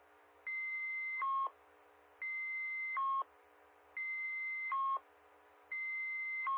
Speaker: Now, that was a bit of an extreme example, but I hope you heard on the first set of tones were a little bit longer than the rest of the sequence in there. But you can hear that was like a 25-second set of tones.